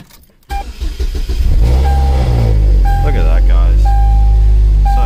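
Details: 2003 Chevrolet Cavalier 2.2L Ecotec supercharged 5-speed, reassembled after no-crank, click-only diagnosis: a short crank and firm catch, then a strong, smooth, deep idle that holds steady. The engine starts and runs normally.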